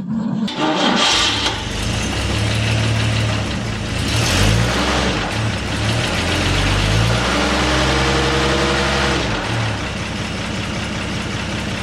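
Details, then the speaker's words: 1948 6-volt car with rebuilt carburetor, new ignition and points, correct timing, cold in a 20-degree shed (-5 outside): quick crank, catches immediately without choke and settles to a steady, even idle; a healthy cold start. "starts right up no choke [Music] i'm gonna let you hear the starter on its own got the ignition off spins nice and free and fast"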